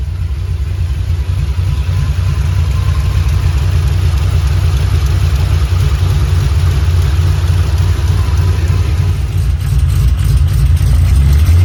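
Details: 3V Mustang GT 4.6 V8, newly installed engine with new clutch, flywheel, headers and the original Steeda underdrive pulleys, after first start: loud deep even rumble swelling with throttle and settling smoothly, no knocks or misses; normal running, runs really good.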